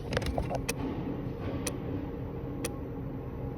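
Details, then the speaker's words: BMW F10 diesel, ignition off, DDE module shorted to ground with CAN bus corrupted, no start: quick flurry of sharp relay clicks then single ticks once a second; control unit malfunction. "and that can only mean there's a malfunction in this control unit."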